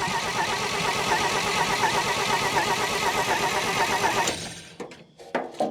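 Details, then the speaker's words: Old Dodge Power Wagon flathead on a temporary fuel source and 12-volt battery, cranking steadily at two to three beats a second without catching. The coil wire came out of the distributor cap; owner suspects lost spark. "I'm wondering if maybe I didn't lose spark. The coil wire absolutely came out of the distributor cap."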